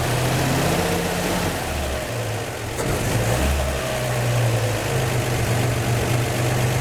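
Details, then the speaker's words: 1949 Chevy 3100 with a 1954 235 inline-six, after replacing the leaky exhaust donut at the front Fenton cast-iron header: steady, even idle with a smooth low rumble and no ticking or puffing at the manifold; normal idle. "all right that seems to have gotten it the other one was a little bit loose too so i tightened him up some but you got to be careful because those donuts are soft"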